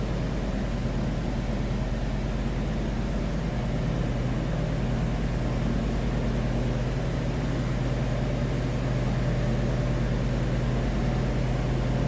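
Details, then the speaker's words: 1979 Mercedes-Benz 450SL, 4.5-litre V8, just after a cold start, temperature gauge not yet up: steady, even low rumble with no knocks, misses or ticks; normal, smooth idle. "This sounds as you'd expect. 4.5 liter V8 to sound."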